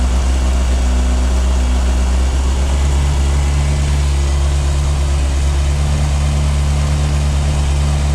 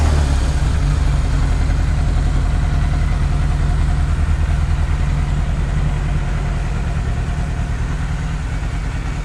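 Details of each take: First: 1998 Yamaha YZF600R Thundercat four-cylinder first start after transmission repair, rear wheel off the ground: smooth, steady hum, no leaks, shifts through all gears; carburation still needs tuning. Normal running. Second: 1998 Yamaha YZF600R Thundercat, first start after transmission rebuild, rear wheel off the ground: low throbbing idle pulsing unevenly; runs rough, carburetion needs adjusting, otherwise revs up, no oil burning.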